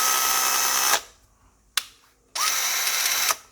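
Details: Makita DF333DWYE drill after reassembly, motor upgraded from RS550 to RS555 and gearbox serviced, run with no load at slow then fast speed. Two clean bursts of even high whine with a click between, no grinding; healthy.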